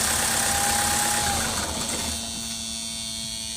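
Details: Mahindra XUV500 diesel idling: thin steady high-pitched electrical buzz that continues briefly even after switch-off, seeming to come from dashboard area; traced to a faulty solenoid.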